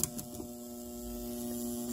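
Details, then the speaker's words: 1975 Gottlieb Atlantis pinball machine just out of storage: steady electrical buzz from a score reel coil locked on because its reel is stuck; the reel moved again after being freed. "okay yeah score wheels are not budging yes yes yes i hear i hear the buzzing"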